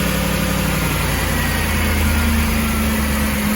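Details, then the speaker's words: Ford Expedition 4.6/5.4 3V Triton after replacing the VCT solenoid for code P0012. Smooth, even idle at startup; the loud clicking heard before the repair is gone. "How does that sound? No more clicking noise. Full startup. That's gone."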